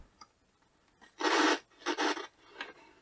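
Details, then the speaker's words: Sharp 5T-20H black-and-white CRT TV radio clock on radio with no aerial: short raspy scratching crackles from the speaker as the volume is turned, suspected dirty volume pot needing a clean. "think that pot needs a bit of a clean."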